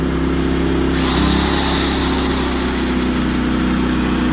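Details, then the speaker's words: Propane-fuelled generator switched from economy mode back to full mode, a power drill plugged in barely noticed; even, steady drone with a smooth hum that picks up slightly and holds. Normal full-speed run. "Now, if I don't have it on economy mode, then you don't even notice the use of the drill. It barely even draws much power. Here's back to full mode, not economy."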